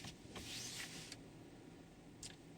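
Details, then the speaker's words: 2019-2025 Toyota RAV4, brake pedal pressed then parking button pressed: short high whir from the rear then a brief second whir as the parking brake motors release; normal electric parking brake release. "can hear the motor working in the back. It means that the electric parking brake has been disengaged."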